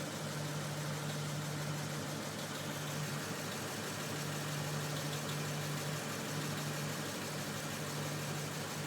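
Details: Lexus IS F V8 knocking at idle: steady idle with a light, even knock under the exhaust drone; owner links it to Toyota valve spring problems, source not pinned down.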